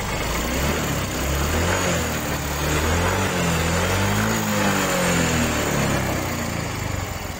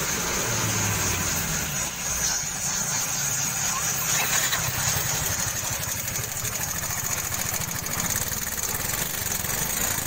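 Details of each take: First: Yamaha Mio 125 scooter idling smoothly after valve clearance adjustment and carburetor cleaning; the earlier sewing-machine valve ticking is gone and the idle is even and healthy. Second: Yamaha Mio 125 scooter idling with a fast, light sewing-machine ticking from the valves due to excessive valve clearance, before valve adjustment.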